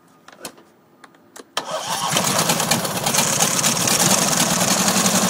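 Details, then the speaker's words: Twin-cylinder engine whose left cylinder reads only about 20 psi compression and is practically dead, running on the original head gasket after a damaged replacement: a few cranking clicks, then it catches with an uneven, lumpy beat. Rough, running on one cylinder. "So I actually put the original one back on, and it seems to do a little bit better, but it's not running too good."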